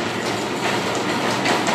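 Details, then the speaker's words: 1948 Robot Appliances "Robot Operator" garage door opener on 110 V, first test: steady, even mechanical clatter from the gear drive, no stalls or grinding; it works, though it doesn't stop immediately. "Look at that. Look at that. It works."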